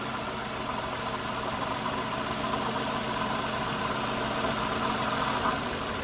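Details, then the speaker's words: 2002 Toyota Camry Altise petrol engine idling with an uneven, lumpy rough idle; swapping ignition coils between cylinders two and three changed the misfire, confirming a faulty coil, replaced with a new one. "and there is a difference so that means the coil is the root of the problem"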